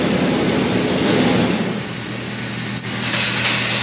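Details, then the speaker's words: 2004 Ford F-150 5.4L 3-valve on replacement engine, one cam phaser already replaced: cold start gives a fast, high-pitched metallic rattle about four a second, then settles; cause unconfirmed. "okay so what we listen for was that super high pitched metallic rattle that was like a noise and uh that's the one that we were were focusing on"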